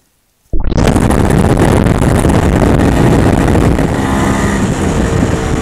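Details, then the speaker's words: MZ ES 250/2 two-stroke with Bing 84 carburetor, pulling hard under load: dry metallic crackling rattle over the exhaust, pinging from self-ignition due to a too-lean mixture. "¿Oyes ese sonido crepitante y palpitante? Estos son los autoencendidos debido a demasiado pobre Mezcla."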